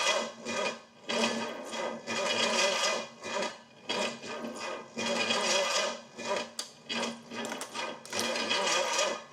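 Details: Used Pontiac 455, cranked after a timing advance adjustment: slow, uneven cranking in repeated surges that never catches. Owner suspects the timing is way out and the starter solenoid is failing and staying engaged.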